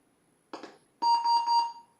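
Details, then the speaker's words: Apple Lisa, after a crash and pressing reset: short click then a single clear mid-pitched beep under a second, the normal power-on self-test tone. "so let's just hit the reset and uh let it do this test again"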